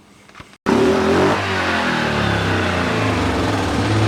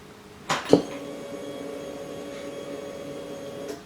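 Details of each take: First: 2007 Yamaha Grizzly 700, first fuel-injection model, engine running during fault diagnosis: uneven surges and repeated stumbles from about four to nine seconds, rough and coughing. The cause is not yet confirmed. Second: Yamaha Grizzly 700 ATV during fault-finding, key turned on. A click is followed by an even hum of about three seconds that stops cleanly, which is normal fuel pump priming.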